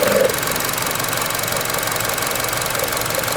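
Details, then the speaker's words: 2012 Chevy Cruze Eco, 1.4 turbo Ecotec, 156,000 miles, at idle: a light fast rattle over a quiet idle that stops when the part is held by hand. Engine cover rattling at idle. "That rattling. That's probably made in China. That's why it's rattling. Watch when I let my fingers off, it'll rattle."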